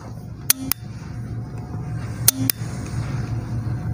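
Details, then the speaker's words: LG front-load inverter washing machine with no power (dim lights, blank display); with the mic near the PCB, the board relay clicks in pairs about two seconds apart over a low hum, repeatedly switching on and off. "its switching relay is giving a sound let me take the mic near the relay so as you can hear it giving a sound of on and off"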